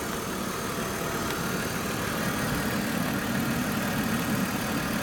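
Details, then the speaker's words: BMW E39 after thermostat and water pump replacement, idling about 15 minutes with no overheating: smooth, even idle with a steady low hum and no knocks, ticks or squeals; normal idle. "okay backs it up so far things sounds good let it run for another 20 minutes keep an eye on it all right"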